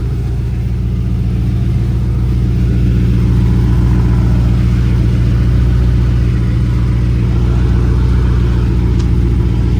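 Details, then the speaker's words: Race car at startup after the X pipe was leveled and exhaust rubbing was fixed: loud, deep, even idle with no puffing or ticking; no exhaust leaks; normal idle. "Let's do a quick little startup to make sure there's no bad exhaust leaks. So loud, it's kind of hard to tell."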